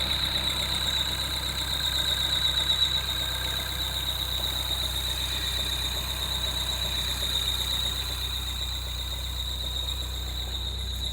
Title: 2013 Peugeot 208 GTi belt squeal